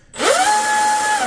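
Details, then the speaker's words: RC Deltaforce Vortex 24 twin hydroplane, generic 80 A continuous ESCs, Leopard 2850 motors, greased driveline, full throttle out of water: clean tone climbs smoothly to steady high pitch, no stutter or cutout, winds down; normal spool-up, motors a little warm. "Definitely not a burst. They're continuous, 80 amp. Sounds good. Sounds really good, actually."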